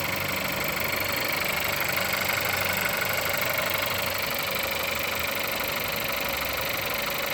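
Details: Engine at 176,000 mileage, cold start: steady cold idle with an even, light tapping knock about three times a second riding over the engine; knocking, cause unknown.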